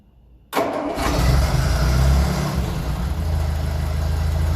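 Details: 1957 Ferguson 35 TVO tractor after ignition timing set and exhaust spitting sorted, mild evening: brief crank, then catches straight away into a steady, deep, low idle with no obvious spitting.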